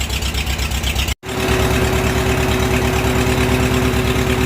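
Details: Farmall H tractor after tune-up with new plugs and wires, Seafoam in fuel: uneven, stumbling idle with irregular beats instead of even chuff; misfire from a closed spark plug gap, runs much better once regapped.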